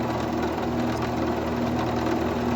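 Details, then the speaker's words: King PDM 30 round-column mill, a couple of years old, after repair of loud spindle clunking: the cause was dry splines, fixed with grease, and the bearings were fine. The spindle now gives a smooth, even whir with no clunks or knocking. "Reassembled the whole thing back into the mill, and the noise was gone."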